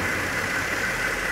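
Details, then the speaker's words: Hyundai Santa Fe 2.7 that had been misfiring with heavy exhaust smoke, after repair and about an hour at idle: even, steady soft hum with no misses or stumbles; engine running smoothly. "ela ficou aqui na marcha lenta que uma hora já está até agora funcionando tá top o motor 'paradinha'"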